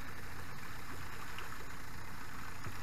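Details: Outboard motor that was submerged, started after checking the oil for water, smoking slightly: it settles into a steady low idle with an even beat, no knocks or misses.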